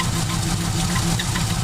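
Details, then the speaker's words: 1947 Cadillac Series 62 with a modular flathead 350 CI V8, after adjusting the distributor, at idle without throttle: a low, steady, even burble with no miss or knock; the engine runs smoothly, though a booster valve still needs fixing. "that sounds a lot better come on dude i haven't even i don't even touch the throttle yet"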